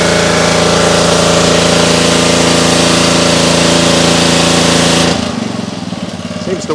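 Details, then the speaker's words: Trash-picked Ryobi 3100 psi pressure washer, Honda GCV190 engine from 2018, after carburetor and pump repair, warmed up: steady single-cylinder beat near four pulses a second, even and smooth, no water leaks; normal running. "I don't see any water leaks either it's all dry it runs pretty well nice"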